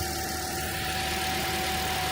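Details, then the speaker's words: 2010 Toyota Corolla, 213,000 miles, back running after a no-start (battery replaced, alternator suspected): smooth, even idle holding speed on its own with no knocks or misses. Normal idle. "That sounds all right. All right. You fixed it. Usually don't have to give the gas to keep it running."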